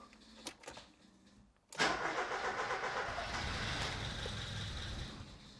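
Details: Ford Escort Cabrio XR3i after replacing a relay: cranking, a brief catch running about a second then dying; owner thinks it runs only on the cold-start injector with no fuel pressure at the distributor.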